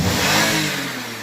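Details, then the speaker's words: 2018 Toyota Highlander petrol engine after fuel pump replacement: starts right up and revs cleanly, settling back smoothly without stumbling or dying; previously stalled, idled roughly, hesitated and would not rev (codes P107A, P1603, P1640, P0300). "as you can see the vehicle started right up we still have check engine light because we have to clear the codes but they can look absolutely no problem"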